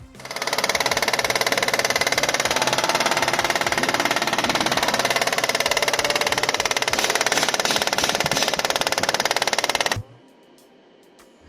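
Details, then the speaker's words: Mercedes-Benz W204 C230 V6 on a test drive. A fast ticking knock of about three per second rides over the engine hiss at the front of the engine. First suspected the camshaft, but it was found to be the AC compressor knocking, which may need replacing. "ตอนเราขับเทสนะครับก็คือมีอาการเสียงดังหน้าเครื่องคือเป็นเสียงอาการใหม่นะฮะสันนิษฐานตอนแรกก็คิดว่าน่าจะเป็นแคมชาร์ปลานะครับแต่จริงๆไม่ใช่นะครับตัวนี้เป็นอ่าคอมแอร์มันลั่นนะครับ"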